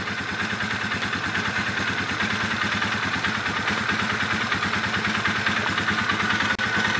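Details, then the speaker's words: 2011 Polaris Sportsman 500 single cylinder with exhaust pipe freshly wrapped, airbox lid off: steady pulsing with a hollow, raspy sucking over the exhaust beat as intake noise comes straight through the filter. "man that sounds funny sucking it through the filter like that"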